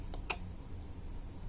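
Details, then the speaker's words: DeWalt Level-2 J1772 EV charger with a simulated vehicle on 120/240V: two quick sharp clicks in a quiet room as the internal relay pulls in normally once the 1kHz PWM signal is established and charging starts. "so ready and then one once I do that you can hear the relay is"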